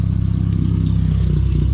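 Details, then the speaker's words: 2002 Pontiac Sunfire 2.2L after fitting a new MagnaFlow muffler: deep low exhaust rumble with a slight rhythmic stumble in the pulses; owner suspects an injector not pulsing properly, fuel cleaner in the tank. Uneven running with deep exhaust tone. "this one's a little more deep as you can hear and it sounds like that injector is just not pulsating just right"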